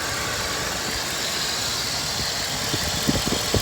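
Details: 2006 Dodge Ram 1500 Mega Cab V8 idling after new spark plugs and valve cover gaskets; steady, even idle with a smooth burble, no stumble or skipped beats, running on all eight cylinders.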